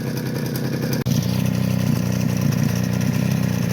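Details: Suzuki LT50 two-stroke ATV that bogs and cuts out after 3-4 minutes warm; crank seal replaced, unsuccessful fix, smoking. Chatters unevenly at fast idle, weak and rough; warm compression barely 25 psi, low compression.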